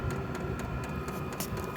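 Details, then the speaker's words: New Vevor diesel air heater on first test: even light clicks about four a second over fan rush as the dosing pump starts pushing diesel during heat-up; normal startup, heater soon blowing hot air. "there is a little clicking noise that just started you can hear it all the fans are revving"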